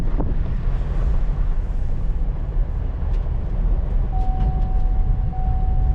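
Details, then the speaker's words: Rebuilt 2022 Chevrolet Blazer on its first test drive after the crash and engine reinstall: low road rumble and even drivetrain hum with no knocks, clunks or rattles, one soft chime; drives smooth, not falling apart. "Doesn't sound like it's falling apart, so that's a good sign."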